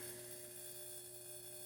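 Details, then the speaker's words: Dyna-Glo Pro 135k turbo heater after tune-up kit parts replaced (previously smoky), cold start: steady fan hum and even burner roar, constant tone, no sputter or surging; running cleanly. "Let's fire it up. Well, that's a cold start."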